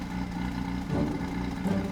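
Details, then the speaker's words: Mazda FD RX-7 rotary, revived after being abandoned (clutch and power steering repaired): low pulsing idle lurching and stumbling instead of steady; lumpy idle, cause not yet found. "definitely idling weird but the proof is in the test drive all right we are test driving my friends as you guys can see the idle's a little lumpy"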